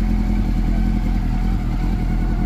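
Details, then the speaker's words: Honda CB400 Super Four that overheated and became noisy; the valve clearances had grown and were readjusted. Now being monitored: a steady, smooth low idle hum with no tapping or ticking; quiet and even, normal idle. "Tahimik na ulit. Wala nang lagitikan."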